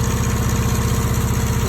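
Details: APU small diesel after no-start, starting right away: steady, even thumping pulse with no knocks or misses; normal running.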